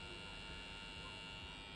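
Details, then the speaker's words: Battery charger plugged into a 12V 1000W modified sine wave inverter on standby, not charging, gives a quiet, steady high-pitched buzz that stops when the inverter is off; caused by the stepped waveform. "That's what you call a modified sinewave inverter or modified sine wave. Uh, it's audible. See, if I turn it off, you can't hear it anymore."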